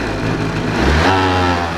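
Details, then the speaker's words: Two-stroke scooter with a carburettor fault, choke fully off: revs rise, hang high and sound smeared, and on throttle it won't pick up cleanly but bogs and pops, making it unrideable. It runs stably only with the choke on; the cause is still to be found. "а он не хочет газовать, взрывается как бы."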